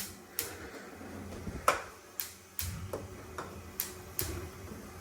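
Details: Ultraline gas oven whose top burners only lit intermittently, after checking that each burner nipple lines up facing the igniter. Crisp ticks about a second apart with no hiss or hesitation; the igniter is sparking normally.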